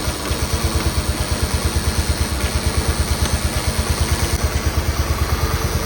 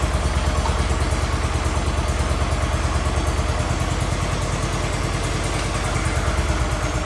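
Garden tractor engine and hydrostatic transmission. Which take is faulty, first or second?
second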